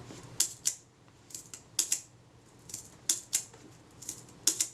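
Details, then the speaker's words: Voigtlander Perkeo I Prontor-S shutter after service (speed cam contacts lubricated with molybdenum paste), fired via delay action/self-timer: timer runs down smoothly, then crisp open-close clicks; healthy shutter operation. "If I set the delay action or self-timer, fire the shutter, that's running down smoothly. And there's the shutter firing. So that's all good."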